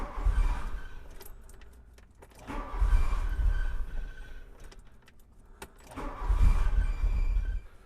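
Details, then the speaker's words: 1985 Volkswagen Cabriolet after sitting 10 years, fuel pump heard running: three short cranking bursts each fire briefly then die; not getting fuel through, later found fuel pressure about 160, twice needed, from a clogged fuel return line, cleaned out. "So, I guess our problem's going to be somewhere with it not getting fuel."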